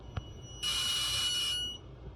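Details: Triple-wound VIC inductors pulsed at about 30% duty cycle: harsh high-pitched buzzing hiss for about a second, then cuts out; high voltage arcing, likely at the matrix switcher relay connections (possibly the transformer); more voltage than before.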